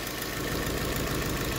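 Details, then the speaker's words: Nissan Sentra: rough uneven idle with missing beat; disconnect test isolates first cylinder, spark and injector signal checked, injector found faulty. Misfire, dead cylinder from failed injector. "es es definitivamente este cilindro y tiene que ser o el o la señal que le llega al inyector o el inyector tapado"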